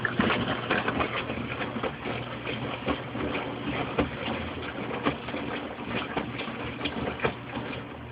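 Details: Mueller Special washing machine washing a large absorbent duvet on a quick 60°C cycle: uneven splashing and gurgling surges of water sloshing, with a low hum underneath; normal wash water sloshing.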